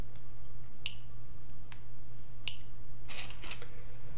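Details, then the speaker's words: Geiger-Müller counter board with GM tube, 5 V, Arduino Uno and Nokia 5110 LCD; source just removed from tube, baseline ~40–50 CPM; few sharp random ticks seconds apart over steady low hum, normal background radiation count. "so now I remove the source you can hear the low amount of clicks"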